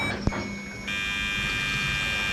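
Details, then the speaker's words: 1969 Dodge Charger electric fuel pump run via Power Probe with tank far from empty: thin steady whine turns louder, harsher, hissier like cavitation and worsens the longer it runs; owner suspects it caused bucking, not confirmed. "it's going to start making like a cavitation sound like it's getting towards the end there's no fuel but there is plenty of fuel here"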